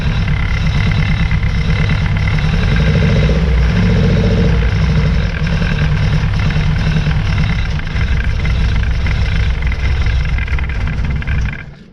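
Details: 1966 Austin Healey Sprite, first start after new ignition switch and battery, float bowls hand-filled: low idle with uneven stumbling beat and dropped pulses before shutoff, missing at idle; good oil pressure, tank drop and tune-up planned.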